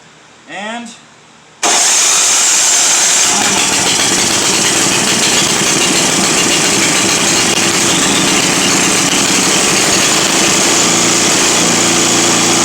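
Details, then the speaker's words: Simplicity 7524I snow blower with a Briggs & Stratton 7.5 hp engine that won't stay running, primed and on choke: it catches, then runs loud, ragged and surging; rough running, cause unconfirmed. "she's just not happy no she's not a happy camper"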